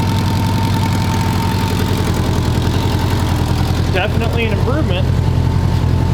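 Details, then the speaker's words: 1985 Honda GL1200 Goldwing flat-four, started stone cold on choke after a hole in the left header was patched by welding. Idle is steady and even with a soft exhaust pulse, now quiet and not leaking: normal idle. "Very quiet now. Very quiet. That's what we were going for is quiet. not leaking."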